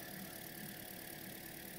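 Quiet, even idle with a steady hiss and no knocks or squeal; the engine runs smoothly and sounds healthy.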